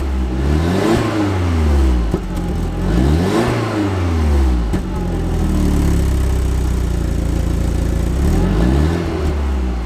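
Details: Neglected Audi TT, stock exhaust, cold start after standing a while, heard at the exhaust: deep smooth note climbing and falling through several revs, then settling to steady idle; clean, healthy cold start.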